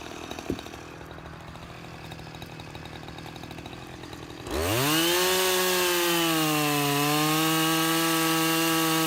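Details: Husqvarna 353 chainsaw after gas line and chain drive repair and carburetor tuning, test cut: quiet, then fires and settles into a strong, steady high-pitched run under cut, holding speed evenly; healthy.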